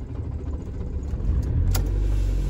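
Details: Van diesel cold start in Arctic Finland around minus 30 after the Webasto engine preheater ran and the battery was charged, at 51 degrees: catches and settles into a steady low rumble with no misses or knocks.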